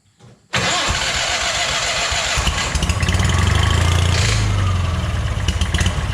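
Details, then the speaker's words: Long-idle scrap-yard Hobart welder generator started with fuel dribbled into the carburetor: catches, then a harsh uneven clatter over the thrum, like something loose inside the fan shroud. "that did not sound good i have no idea what that was it almost sounded like there was something inside this um fan shroud separate from the motor itself maybe inside the generator here"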